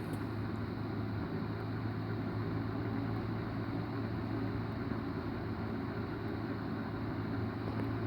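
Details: 1980s Galaxy 2153A 12-inch three-speed box fan, recently oiled, on medium: smooth, even airy whoosh with a low steady hum, no ticking, rubbing or wobble; runs quietly and normally.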